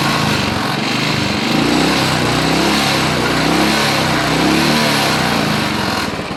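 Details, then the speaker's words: Royal Enfield Bullet single-cylinder idling steady and even with no dropouts after rainwater was drained from the carburettor; misfire gone, starts fine, tank cleaning at a workshop advised. "ആ ഒരു പ്രശ്നം solve ആയി അപ്പൊ ഇങ്ങനെ ഇത് കണ്ടോ ഒരു പ്രശ്നവുമില്ല സ്റ്റാർട്ടിങ് ലൈവ് മിസ്സിങ് പോയി"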